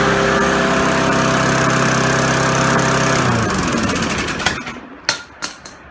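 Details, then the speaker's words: Briggs & Stratton 3.5 hp four-stroke push mower after fixing surging/rich running by replacing the failed fuel pump/carburetor diaphragm and securing a loose line; steady drone without hunting, idles up and down normally, winding down smoothly. "it could idle up an idle down as needed to"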